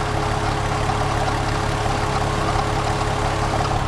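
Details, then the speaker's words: VW Jetta wagon idling, AC compressor clutch ruled out: steady idle with light uneven rattle from one side of engine bay; owner suspects water pump pulley, no leaks or overheating; source unconfirmed. "it's definitely quieter but I can still hear something rattling on this side"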